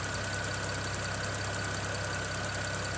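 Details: 2009 BMW 335i N54 on cold start after upper radiator hose replacement: uneven, lumpy idle with occasional stumbles, a misfire the owner says is unrelated to the hose job.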